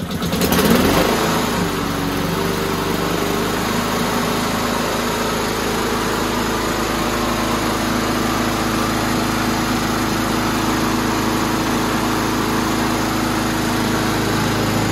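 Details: Husqvarna 7021P push mower single-cylinder engine, after a carburetor clean with the air filter refitted and fuel on: it catches and settles into a steady, even drone, running on its own.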